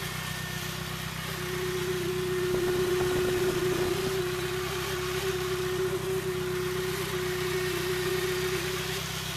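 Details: Nissan SR20DET turbo petrol engine at idle with an unidentified strange noise: a steady idle with a thin mid-pitched whine riding over the low rumble.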